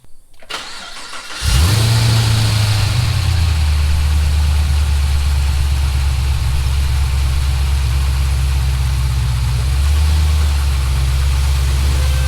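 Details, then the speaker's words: Chevrolet SS with supercharged LSA V8, just after an oil change with about 8 quarts, on race ramps: quick crank, the V8 catches and flares, then settles into a deep, steady, even idle with no knocks or misses; normal start. "Yeah, we're going to start it up and get it off the race ramps, and then we'll check it again."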